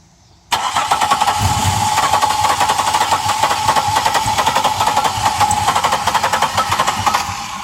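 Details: 1999 Pontiac Grand Prix GT, crank no start: the starter whirs with a steady whine and the engine turns over evenly for about seven seconds but never catches; cause unknown.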